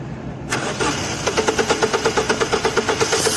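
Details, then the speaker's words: Mazda 626 1.8 manual, stalled and wouldn't restart: starter cranks at a steady ~7 turns/s with no catch. Spark present, no fuel pressure, pump hums and works. Tank simply out of petrol. "Проверили насос. Насос гудит. То есть он рабочий, качает. Просто закончился бензин. В баке нету бензина."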